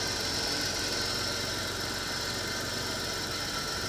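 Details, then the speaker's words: 1987 Chrysler LeBaron convertible, 102,000 miles, auction car with a nearly new battery: even, steady idle with a smooth hiss, no knock or miss; normal healthy idle. "this engine sounds fantastic though it really [Music] does here it is look how smooth"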